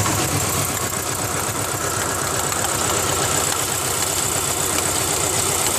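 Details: 2000 Ford Ranger XLT 2.5L that barely idles and dies in gear: uneven idle with quick flapping slap about four a second; timing belt slapping against timing cover, cause suspected.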